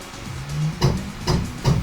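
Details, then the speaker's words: Anycubic Photon M3 Max resin printer after screen replacement, Z axis homing: low hum with hard, uneven knocks about every half second, Z axis straining or binding; cause not confirmed. "yep that definitely shouldn't be doing that I know why it's doing that I think"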